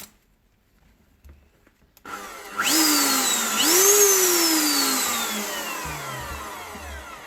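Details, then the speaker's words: Hilti DD 130 drill motor no-load test run during repair (clutch/friction issue per description): spins up to high even whine, rises again, winds down smoothly, no grinding or rattle; runs fine. "Працює чудово."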